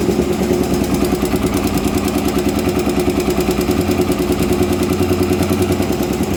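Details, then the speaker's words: Honda Twister 250 single at idle: steady rattling tap about three per second from the top end; loose cylinder head bolts, with a loose cam chain also considered. "e aí galera é a soltar um vídeo rapidinho para vocês aí tu está fazendo um barulho na parte de cima e"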